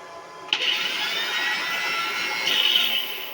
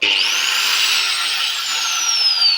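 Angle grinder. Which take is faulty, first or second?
first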